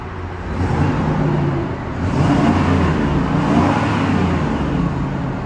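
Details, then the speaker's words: 1994 GMC Vandura G2500 conversion van at start-up: deep V8 rumble climbing smoothly through a few throttle blips and settling back, even firing throughout; engine sounds healthy, normal revving. "These engines sound fantastic."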